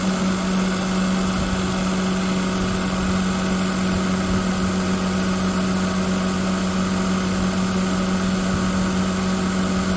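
Steady idle with a strong constant low hum and an uneven, rough undertone; something sounds off, but the cause isn't clear.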